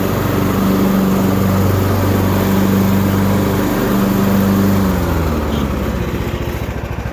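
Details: Used Husqvarna riding tractor test run after deck repair and axle seal replacement, mowing: steady, even single-cylinder drone, no misses or knocks, pitch holding under load; engine healthy.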